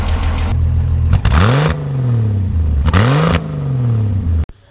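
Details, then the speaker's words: 1965 Ford Falcon Club Van (Econoline), 170 six-cylinder, ex-fire department: even idle, then two quick blips that climb and fall back cleanly with no knocks or misses; engine sounds healthy. "Go and rev it up just a little bit. Sounds good. These little 170s were great little engines."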